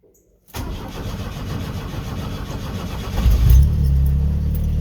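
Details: Pickup after reconnecting MAP sensor differently, previously idling rough with a code: fires almost instantly without pressing the gas, then steady even low idle with no stumbling.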